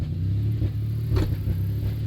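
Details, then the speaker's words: 1991 Dodge Grand Caravan SE driving warm under throttle: deep rumble surging and sagging, bucking as it cuts in and out; idles fine and runs great cold. "Like it'll idle fine, but I give it throttle and it gets funny. Like it's cutting in and out."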